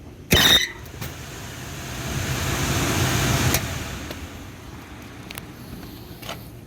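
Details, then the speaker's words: Carrier two-stage package unit on a no-cooling service call, blower motor drawing about 9 amps, checked for rotation with Y wire pulled: sharp clunk then smooth, even whoosh, no scraping or rattle; right rotation, healthy blower start. "Sparks sounded good looks good going the right rotation so I'm good with that"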